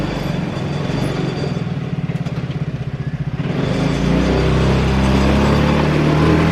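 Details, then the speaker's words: Free roadside ATV, reassembled, fires right up: uneven pulsing idle that stumbles a couple of seconds before picking up into a revving run; spitting and sputtering, debris visible running through the fuel lines from the tank, inline filter needed. "She friggin' runs, just fires right up. It was spitting, sputtering a little bit."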